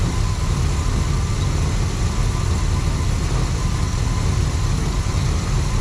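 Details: 1979 Pontiac Trans Am 10th Anniversary V8, stored since 1995, with the carburetor refilled and hoping to pull fuel from the tank, choke barely on: a smooth, steady low idle with no misses, knocks or ticks.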